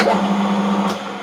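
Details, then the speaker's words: Metal lathe after interlock repair: motor hum runs briefly, then a click as the lid is lifted and the motor cuts out; won't restart until lid is closed, working as designed. "just like that. And you won't be able to start it again until you put that lid back down again."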